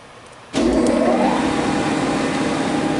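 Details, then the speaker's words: New-1973 Monarch engine lathe model 2516, 120-inch, servo headstock, rapid travels, running to show clutch and brake; motor starts, tone climbs, settles into smooth even hum, no grinding or knocking; everything appears to run well. "I'm going to try and run it so you can just see a little bit of it run. You'll be able to hear the clutch and the brake, and you'll be able to see the apron function just fine."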